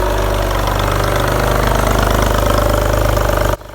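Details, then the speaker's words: Porsche 911 (996) first start after 4-year restoration and engine reinstall: lumpy, uneven idle with stumbling pulses, running really rough; cause found to be throttle body connector left unplugged. "It did then start at one point, but as you'll hear, it was running really, really rough."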